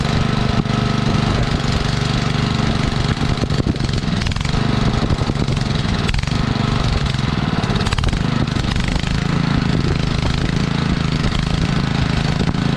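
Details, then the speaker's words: Sterling Honda-clone 6.5 hp engine on 3-inch trash pump, previously seized, primed and started on choke: low, even chugging at a steady beat with no misses or knocks; idling smoothly. "oh even idle's nice take a little water over the top here"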